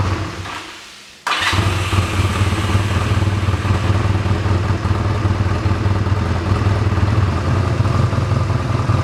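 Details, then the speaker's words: 1985 Honda Rebel with 2,000 miles, stored about 17 years, at its first start, running on reserve fuel and warming up cold: catches after a second and settles into an even, deep, steady idle with no misses or knocks. "Okay, we'll let her run for a while to warm up and then we'll see what we can do about the adjustment of the curve. Sounds great, huh?"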